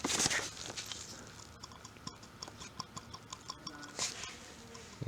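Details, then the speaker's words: Removed turbocharger spun by hand with light irregular metallic clicks from a small loose metal washer inside; slight shaft side-to-side play, turbo still spins fine; loose washer clicking, not a wear sound. "click inside the side i mean that's not that's not that wearing sound just this there's a little metal washer it's still the turbo still spins fine"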